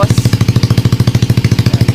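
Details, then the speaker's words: Motorcycle with Smash diaphragm carb converted to piston-type carburetor, NLK open pipe, first kick start: loud quick steady thumping, idle screw set too high and to be turned down. "Medyo mataas yung minor natin. Taasan natin, baba natin yung minor natin, mga boss."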